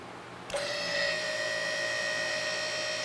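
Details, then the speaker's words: Newly assembled QuickJack BL-5000SLX lift, first test run with no car or weight on it; clean, even hydraulic pump motor whine holds steady about two and a half seconds then cuts off; normal hydraulic pump operation. "Again, I don't think they're designed to work without weight on them. But I want to do a test run before I put a car on it."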